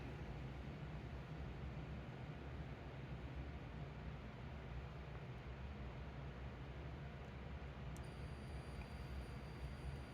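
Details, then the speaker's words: Toshiba 430CDT laptop, with a replacement backlight inverter taken from another panel fitted: a faint hiss, then a thin, steady high-pitched whine or scream; the inverter is failing, and a capacitor is to be swapped over. "Yep, that one stays on. But you can hear it screaming."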